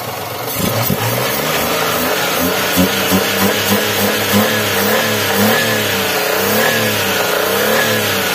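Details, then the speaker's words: Daihatsu Xenia 1.0 at high rpm after an ISC reset and oil change: a coarse krang-krang gear rattle rising with rpm. This is normal noise from the balancer on the primary and secondary gears. "nih dengar to krang krang krang gitu ya memang suaranya gitu kalau Senia 1000 yo"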